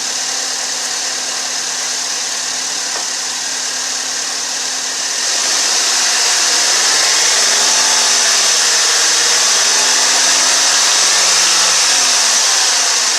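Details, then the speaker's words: Chevy Malibu with P0335 code, neglected and run with almost no oil on the dipstick: held at light throttle, a fast, even metallic rattle from the front timing chain area that subsides off throttle as oil pressure builds; timing chain/VVT wear suspected, not confirmed. "what I'm gonna do is give it a little gas hold about 250 on our rpm you'll hear rattle again and when I let off the gas it'll fresh no filipino subside"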